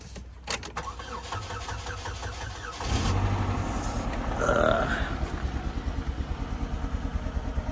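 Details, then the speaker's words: Rolls-Royce Wraith at a Copart auction, 180 miles, blowing black smoke: cranks, catches and settles into an uneven, shaking idle with stumbling pulses about three per second; a misfire. "Got a misfire. Hear it."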